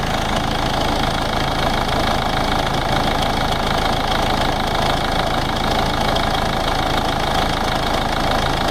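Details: Ford Ranger 3.0 NGD diesel at idle; steady idle with a loose, irregular rattle about twice a second from the front of the engine; timing case/gear area noise suspected.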